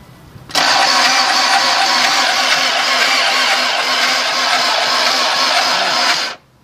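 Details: Simple mechanical-pump non-electronic diesel engine with injector lines loosened: starter cranks at even steady pace about six seconds with no firing; cranks but won't start, fuel reaches injectors, battery, starter and timing belt confirmed good.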